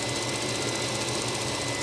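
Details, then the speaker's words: 1999 Mercedes S420 (W140) idling after throttle body replacement: steady even idle with smooth hum and faint constant high whine, no stumble; cam oil tube ticking and rattling catalytic converter still noted. "yeah she is coming back to life indubitably she looks so good she sounds so good"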